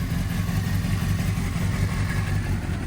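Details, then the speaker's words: Honda CBR600RR inline-four motorcycle with fresh oil, idling: even low idle with fast ticking chatter, not a knock; owner unsure whether this noise is normal. "are they kind of noisy? It's not like a knock or anything."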